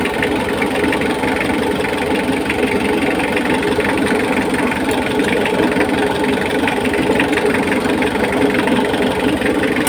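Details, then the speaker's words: Mitsubishi L300 diesel that won't start on key, running: steady idle with hard sharp clatter on every firing stroke and heavy smoke; injection timing too advanced, fix is retarding the injection pump slightly. "ang lakas ng fel lock niya Ayan oh marinig niyo naman eh grabe yung usok"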